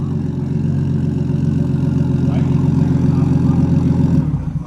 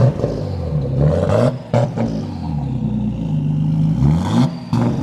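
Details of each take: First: Nissan Skyline R33 RB25DET six, first start after a two-week rebuild and reinstall, MAP sensor plugged back in: smooth, even low burble with steady tone, no knocks or misses, before shutting off; normal idle. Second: Nissan Skyline R33 RB25DET on first start after rebuild: uneven, stumbling revs with clattery blips while the MAP sensor is unplugged, then a smoother steady hum once it is plugged back in; rough running from unplugged MAP sensor.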